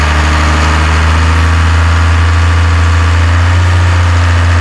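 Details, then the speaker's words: 12-valve Cummins in a 1993 Dodge W250, first start after head gasket replacement and fuel bleeding: deep steady diesel idle, even low drone, no knocking, misfire or hunting; idle needs raising slightly, good oil and fuel pressure; normal. "So, it looks like my idle is going to have to go up a little bit. We got good oil pressure, good fuel pressure. EGT probe is reading. Things are looking okay."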